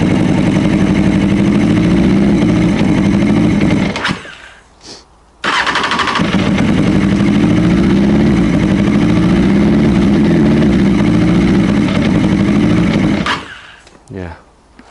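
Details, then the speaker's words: Honda CB600F with misfire, run with throttle open, choke on and brake cleaner to separate ignition from carbs: runs rough and twice sags almost to stalling, recovering slowly; poor throttle response, suspected carb or fuel problem, not confirmed. "So, I think it's got to be the carbs at this stage. Yeah, just the way it's not not responding to"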